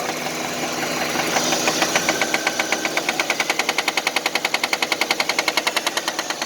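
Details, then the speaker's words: 1999 Nissan Altima petrol engine idling with a loud, deep, rapid regular knock that grows more distinct: rod knock, unlike light valve-train ticking. "unless you have more rods knocking it's usually just a single pop and you do deep inside it's very loud"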